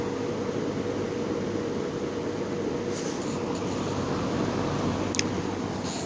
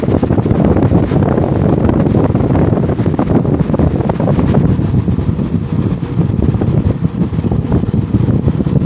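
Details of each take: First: Repaired GE fan motor switched to its other position: even, steady hum with soft air rush, no rattle or grinding, only a couple of brief clicks; quiet, with low speed seeming faster than the other position. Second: GE motor after repair, motor halves releveled and tapped back onto the housing: steady low fan rush with fine, uneven rattling bearing chatter still present, though better than before; spin-down time decent.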